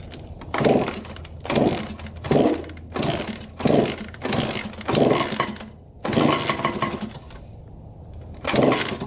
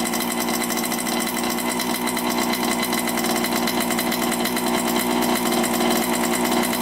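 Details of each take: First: 1987 Honda CR80 two-stroke dirt bike, carb cleaned, choked first start: sharp revving bursts about every second, sagging and dying off, won't hold idle; white smoke and milky oil, owner suspects coolant in oil and an air-fuel mixture screw needing adjustment. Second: 1987 Honda CR80 two-stroke on first start after carburetor rebuild and air filter cleaning, started on choke: crisp, rapid, steady buzz with no stumbling or dropouts; sounds pretty good, healthy running.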